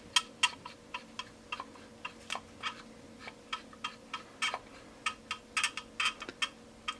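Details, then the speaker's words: Two-year-old Cry Baby wah pedal still squeaking after first lubrication: sharp high creaks, roughly three per rock-second, a "creaky bed" sound from a dry pivot point. "still has that creaky bed sound now I'm pretty sure it was not doing that when I bought it"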